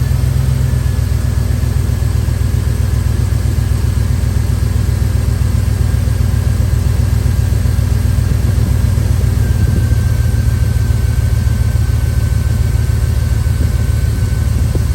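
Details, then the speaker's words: Dodge Dakota, engine idling with the sensor unplugged to force the radiator fan to full speed; steady, even rush that gets louder; electric cooling fan working properly. "So, from my research, if you unplug that sensor while it's running, it sends this fan into overdrive. So, it's supposed to sound like a jet engine or something like that."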